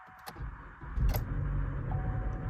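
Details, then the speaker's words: Chevy Cruze after timing chain work, codes for multiple misfire and evap flow: rough uneven cold-start misfire then steady idle; low oil pressure warning shown; cause found as a loose spark plug and faulty purge valve. "It misfires. Boom. Then it starts running fine."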